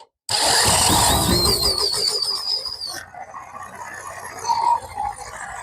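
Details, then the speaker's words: WEN 3500 portable generator, 7 hp engine, after carb cleaning and fresh gas, off choke: catches then labours, revs sagging and surging, barely running; low idle fixed by turning up the carburettor throttle adjustment screw. "Come on, baby. Struggling a little bit. I want to run. Uh, maybe I need to adjust the carburetor."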